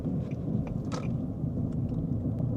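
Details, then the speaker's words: 2009–2013 Infiniti G37x AWD with U0415 and B2557 codes, traction control and brake lights flickering while driving: low, steady droning rumble under the car that rises with road speed, no sharp knocks; wheel bearing rumble. "I don't know if you can hear that but we have a little bit of a rumbling sound now we have the brake light actuated going on and off and as I drive along here I notice that this rumbling sound is exactly in proportion to the speed of the"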